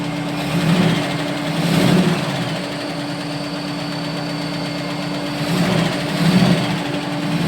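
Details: AMC 401 V8 at idle: fast light ticking over a steady hum, suspected lifter tick, unconfirmed.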